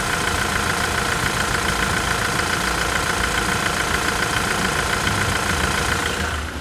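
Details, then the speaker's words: 2017 Toyota SW4 2.8 1GD diesel after engine replacement: even diesel clatter ticking steadily about three and a half times a second, no misses or knocks; healthy, clock-steady idle. "Tá um reloginho, rapaz. Vai ficar chique show."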